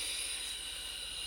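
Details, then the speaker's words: Vaporesso Sky Solo Plus vape, fixed non-adjustable airflow: steady high-pitched whistling hiss through whole draw, stopping when draw ends; loud airflow cannot be turned down. "there's cons for me is gonna be the fact that it's and got no adjustable airflow unfortunately it is just down and the problem is it's very very noisy and whistling"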